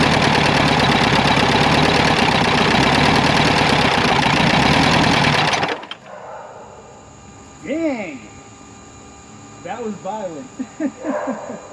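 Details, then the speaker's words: 2010 Mazda engine that arrived seized with zero oil, freed using ATF and penetrating oil, running on three cylinders. Violent, uneven pounding about three times a second, then a sudden stop; a broken rod in an oil-starved engine. "uh alrighty friends that was one of the most gratuitously destructive things i've done in a while"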